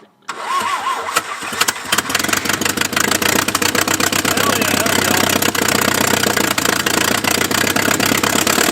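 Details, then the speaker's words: Abandoned 1950s-60s Willys Jeep truck fed from a leaky fuel can: fast, steady cranking for seconds without catching; suspected no working fuel pump, exhaust works, some smoke. "I don't think we have a working fuel pump. We have a working exhaust."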